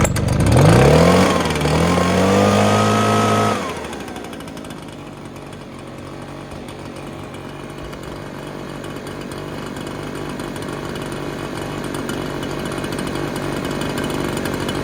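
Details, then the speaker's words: Free Echo backpack blower, small two-stroke, previously locked up, running on ethanol-free 25:1 mix: revs high with climbing pitch, drops to steady low idle without dying; runs great but very smoky. "well there you have it how long did it take 10 minutes thing runs great it's just uh very smoky because of the transmission food bu it didn't burn off"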